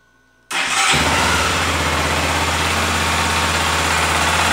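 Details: Honda XRE 300, 2018, 7,229 km: engine catches and settles to steady idle with faint light ticking knock, owner says like a rod knock but much quieter; engine knocking noise, source unclear.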